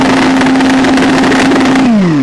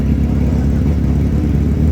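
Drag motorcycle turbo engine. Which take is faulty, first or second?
first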